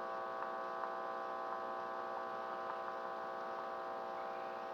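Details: Philco 84 tube radio under repair: steady low buzzing hum from the speaker, no station; changing stations and the volume control do nothing. Fault still to be traced.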